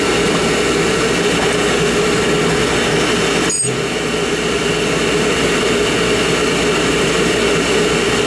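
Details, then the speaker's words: Oil burner motor and pump on a heating-appliance service, run with the controller jumped out to flow oil; 3-year-old 1 gallon 70 nozzle burning clean. Even motor whir and steady pump hum, no surging or grinding: normal burner motor and pump. "That's the motor right there. That's how I like to do it, right there. Plug it into my motor and I get a good run time on it."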